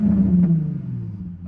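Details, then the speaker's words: Modded Nissan 350Z at auction, temperature coming up, apparently straight-piped: one quick blip falling away smoothly with loud raw open exhaust note; healthy rev. "That sounds very straight piped and very good. I like that. I like that a lot."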